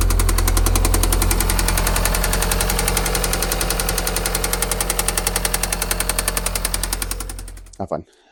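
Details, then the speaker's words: 2018 VW Golf R engine after being driven hard: heavy, evenly spaced knocking about three to four a second, slowing as the engine winds down; bottom-end bearing knock. "had a little too much fun and now she sounds like this"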